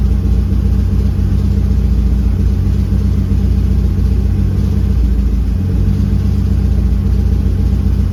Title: M52tu 2.8 turbo rough idle ?